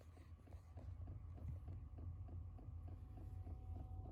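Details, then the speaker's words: Original fuel pump of a Chinese diesel heater in a camper van, bulkhead-mounted about 18 inches from the bed, recorded on a phone mic at startup: sharp regular tick about four per second over a low hum, carried through the van structure. "there's the sound of the tick tick ticking with the original pump to be fair though it's going quite fast at the moment because it's just on start up"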